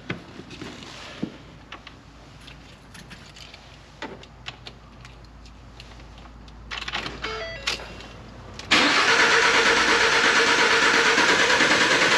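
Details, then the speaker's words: Six-cylinder truck cranked in clear-flood mode during a relative compression test with a Ditex Carscope: quiet lead-in, then a loud, steady crank with an even beat. The analysis shows six even bars, so compression is balanced. "and it's going to go ahead and run the analysis and you can see it gives us nice six even bar graphs this is a six-cylinder truck"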